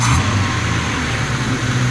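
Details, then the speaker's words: 1991 Ford Falcon XF ute, hot engine: after the distributor timing is adjusted, revs hang and only slowly sink back to idle once the throttle closes; owner suspects timing still too advanced, possibly a vacuum leak, to be checked. "I'd say it's still too advanc the way it's holding onto that RI but we'll check that can also be a sign of a vacuum leak"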